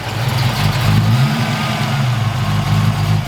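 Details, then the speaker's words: Foxbody Mustang V8 on day three, about 36 hours after a quick engine build, cold start with idle wandering: deep burble settling to steady idle, no valvetrain ticking or clatter; sounds healthy. "yeah it sounds a little better not bad not bad for uh 36 hours you see the idols kind of all over the place but I mean this this is a cold start"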